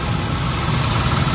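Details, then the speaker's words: Hyundai Accent petrol after fixing the cylinder 1 no-spark misfire (P0300/P0301/P0302): codes cleared, check-engine light off, engine warming up and idling smoothly and evenly with no vibration. "Yan nawala na tayo chick engine guys. Ayan so painitin na natin. So ayan sa akin to. Wala na siya vibrate."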